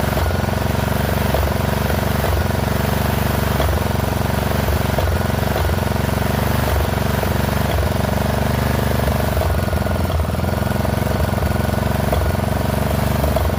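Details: Poulan XT 12538 riding mower, 12.5 hp single-cylinder, 38-inch deck, warm, on a newly fitted carburetor (old one leaked gas into crankcase): loud but uneven running, dipping and stumbling every second or so. Rough running; owner suspects intake and exhaust valves not set right.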